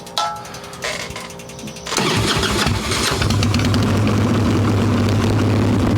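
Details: Harley-Davidson Evo Softail, warm engine without choke, carb loose with choke plate off, mixture screw being set around one turn out: cranks, catches, settles into lumpy hunting idle; intake air leak from loose intake bolts and cracked vacuum cap.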